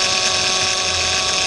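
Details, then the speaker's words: Power steering pump with a leak and low fluid: steady, hissy moan with no letup that gets louder when the wheel is turned; fluid in the reservoir full of air bubbles and turning foamy; pump moan from air in the fluid. "the noise actually gets louder on you whenever you turn the wheel of course if you look inside here inside the reservoir see all the air bubbles in the uh the fluid"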